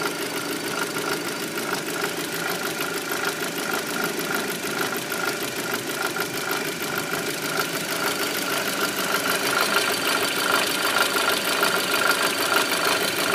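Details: Audi A4 B7 idling after an oil change: light, sharp ticking about twice a second over a quiet idle, steady throughout; the source of the tick is unclear.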